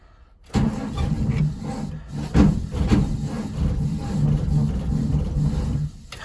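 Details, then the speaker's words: 2003 Blue Bird bus, International DT466E diesel at 11°F, not plugged in, after repeated ether attempts with the battery dying: sluggish, uneven cranking with heavy, labored compression beats for about five seconds; weak battery can't spin the cold engine. "But gotta do what you gotta do. And now the battery's dying. So that's great."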